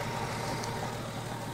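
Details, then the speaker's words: 1970 Dodge Dart, long-sitting car, running after adding gas with the fuel pump working: steady, even low idle with no misses, knocks or ticks and only a little smoke, a healthy idle. "Sounds really good, actually, doesn't she? Awesome. A little bit of smoke, but not much. Just sitting there idling."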